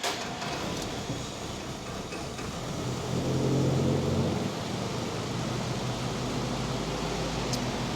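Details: Original 1946 Willys CJ2A kept on its 6-volt ignition: steady, even low four-cylinder rumble with no knocks or misses, apart from one brief swell in load; normal running.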